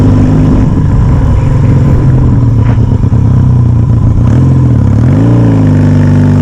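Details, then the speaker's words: Yamaha XS650 on a sunny test ride after carb manifold replacement and air pods, air leaks believed cured the left-side pop: even, throaty twin beat rising and falling smoothly with throttle, no popping or stumbling; running cleanly. "this is such a beautiful experience lovely beautiful sunshine what a soundtrack soundtrack for a nice day listen to this"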